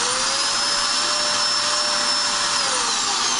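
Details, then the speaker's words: Dirt Devil Extreme Quick Vac, basement spare vacuum, running but not picking up: motor spins up to a steady high whine with strong airflow hiss but no brush slapping; broken brushroll drive belt, brush spinning freely. "We use it in the basement as a spare vac for down here, and it was still running but not sucking."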